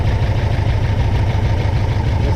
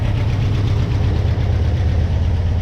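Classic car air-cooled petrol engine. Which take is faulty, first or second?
first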